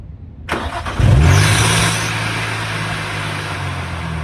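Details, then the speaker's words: Procharged (supercharged) Nissan 350Z before belt replacement: engine cranks and fires, then a loud high squeal flares as revs rise on startup before settling to idle, the worn supercharger belt slipping badly. "I just realized we never even started this thing up so that you could hear how bad the belt is so we going to do that real quick right now"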